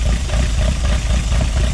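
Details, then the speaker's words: Project Zero 18 freshly built engine on first start with Emerald ECU: steady, even idle just under 1000 rpm with no misses, after syncing throttle bodies for airflow; runs well. "give her a couple revs she sounds good though what are we idling we're idling at a little less than a thousand rpm"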